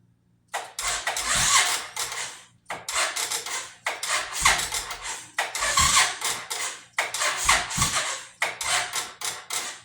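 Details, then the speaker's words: 2005 Suzuki Boulevard S83 motorcycle that sat four to five years: starter groans in slow, uneven bursts, turning the engine sluggishly with no catch; slow cranking from a weak battery and bad connection. "bad connection crappy battery"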